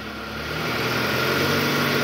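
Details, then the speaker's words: 2008 Toyota Harrier, about 185,000 km, AC on, in reverse, throttle blips around 1000 rpm: smooth engine note with no growl after replacing the worn tensioner, confirmed as the growl's cause; balancer shaft replacement still pending. "oke udah enggak ada bunyi ngoroknya ya Coba lagi [Musik] gas gas Oke sip suara ngoroknya udah hilang tahan yang tadi penyebabnya benar dari Tensioner guys"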